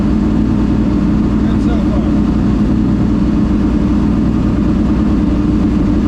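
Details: Ford Thunderbird NASCAR stock car (Hooters) on test drive after reinstalling the starter and re-gasketing/tightening the headers: loud deep V8 pulling evenly under throttle, no misses, knocks or rattles; runs great with plenty of power.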